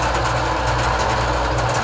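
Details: Porter Cable belt sander that had a slipping belt, after a locking washer was added under the tracking adjuster so the belt stays centered on the drum. An even, steady whir and hum with no slipping squeal or flapping. Normal running.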